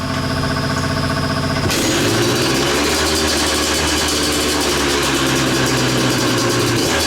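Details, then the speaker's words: Hammered KTM two-stroke dirt bike after carburetor cleaning, new rear sprocket and paddle tire, oil change still due: starts and holds a crisp, even ring-ding idle, no stumbling or nasty vibration; runs well. "it sounds great and doesn't have any nasty vibration or anything like that so uh a testament to two strokes"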